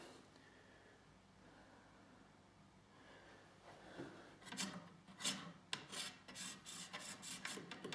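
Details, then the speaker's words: Cisco 3750G 48-port switch reporting fan failure and overheating at 75°C or more. Its fan, turned by hand, gives a dry, scraping rasp in uneven bursts. It was stuck, then freed; the owner suspects collapsed bearings. "i don't know if you can hear that but it's quite stiff maybe it's just stuck then"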